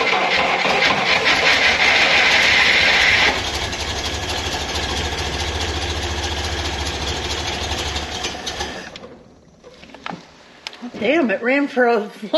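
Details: Lemonhead engine after timing set slightly advanced for 6,000 ft altitude and under-dash wiring suspected: catches and runs rough and uneven about nine seconds, then dies; no steady idle yet, cause suspected, not confirmed.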